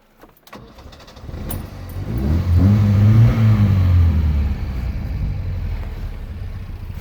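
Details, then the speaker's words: 1967 Alfa Romeo Giulia Super with a newly installed 1600 Nord engine: brief cranking, then it fires quickly, swells to a firm rev and settles into a steady, even idle. Normal, healthy start; the thermatic fan is running. "So it fires up pretty quickly."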